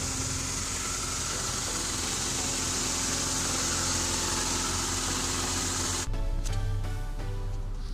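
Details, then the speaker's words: Honda with B-series (B28) turbo engine on E85, after starter replacement, idling: harsh gritty rattling grind and hiss from a worn manual transmission input shaft bearing, getting louder, to be replaced. "you hear that really nasty like rattling grinding sound that's the input shaft bearing that's gonna be that's gonna have to get done sooner or later"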